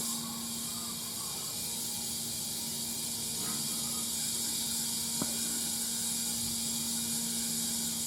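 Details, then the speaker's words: Peterbilt 359 tire being seated and inflated from a roughly 250 psi compressor: steady high airy hiss through the chuck, loudest when the chuck is perfectly straight on the valve stem: normal tire inflation air hiss. "sometimes you don't know if you can hear you know when you're perfectly straight because that's when you hear the most air"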